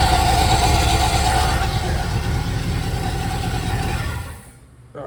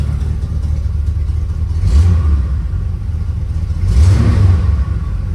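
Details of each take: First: 1983 Caprice or 1980 Corvette: harsh scraping rasp over idle until shutdown after fitting remanufactured alternator (old one tested bad); new alternator contacting adjacent part, fixed by dropping belt and refitting. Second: Classic V8 (1980 Corvette / 1983 Caprice) at steady idle with brief throttle blips after new remanufactured alternator fitted and repositioned; charging now, about 13.7 V at battery, no weird noises or smells — normal idle.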